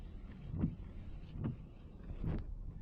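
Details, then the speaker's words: Windshield wipers heard with the microphone right against them: three soft, even swishes less than a second apart with no chatter or squeal, the quiet operation a wiper should have. "That's the way it's supposed to sound. Oh, I got a stick in there, see? I have to get that stick out. But you can hear nothing. No sound whatsoever."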